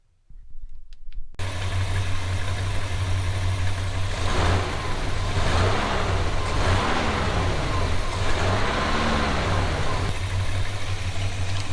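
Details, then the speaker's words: 1986 GMC truck, first start after swapping in used headers with old gaskets to cure a bad exhaust leak: the engine catches and settles into a steady, even rumble with light throttle blips, no ticking or puffing at the manifolds; normal running. "No more exhaust leak."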